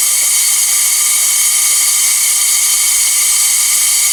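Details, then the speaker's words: An air-compressor-driven venturi vacuum pump evacuates a 2006 Jeep Wrangler TJ A/C system after a full HVAC replacement; it is noisy by design, like an air leak. A steady, high, airy hiss with no pulsing or change; normal vacuum operation. "It's basically shooting a bunch of air out of here, and in its path, it's creating a suction and going to suck air down this hose, and it's going to be noisy. It sounds like you got an air leak, because you do, pretty much."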